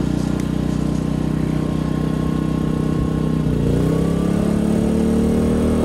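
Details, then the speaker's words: Bus RV conversion's quietened diesel generator on external fuel compared under load with an inverter generator: steady drone, then pitch climbs and gets louder as load comes on, the inverter unit's normal variable-RPM ramp-up while the diesel barely changes. "This, on the other hand, at worst, it just kind of loads up a little bit. I can barely tell, to be honest. You might not even be able to tell."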